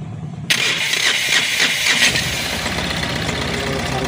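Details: Tata Ace Gold diesel, battery about 12.3 V, checked for a starter relay ticking and an alternator wire cut by vibration: starter cranks in quick pulses for a second, then the engine catches and settles into a steady idle; normal cranking and start.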